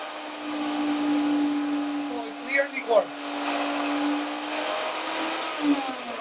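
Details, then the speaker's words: Router on a universal tool speed control, moved from full to the variable position: a steady high motor whine holds, then sags slightly lower as the speed drops, showing the control works. Router running normally. "We're going to put it in the variable position. And you can hear the router slowing down, right?"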